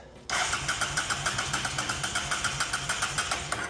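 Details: Honda Shadow VT750 Spirit, non-running, with fuel confirmed reaching the carbs and chokes open: steady starter churning with even pulses, about five a second, but it never fires. It cranks but won't start.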